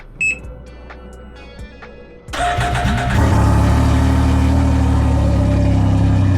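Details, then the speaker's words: Can-Am Ryker with about 8,100 miles, not ridden for months: a few quiet clicks, then it catches and settles straight into a steady, even idle with no knocks. Normal cold start and idle. "So as you can see, this bad boy sounds really good."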